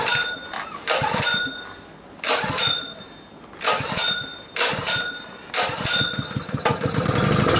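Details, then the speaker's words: Pull-start small engine at about minus 20: several short pull bursts sputter and die, then it catches and settles into a steady run for the last seconds; normal running after a harder cold start. "Well, there we go. That wasn't too bad, I guess. It was much colder though."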